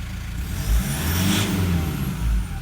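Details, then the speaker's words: 2012 150 Prado 1KD-FTV diesel, about 150,000 km, new injectors, pilot learn not yet done: revs rise smoothly and settle back with an even quiet note, no knock or rattle. "Even without the pilot learn, how quiet's that?"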